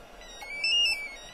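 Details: Encore E4 car alarm, bench-tested with shock sensor triggered: short, high, steady two-tone chirp from the pager/remote over near silence; alarm and pager working properly.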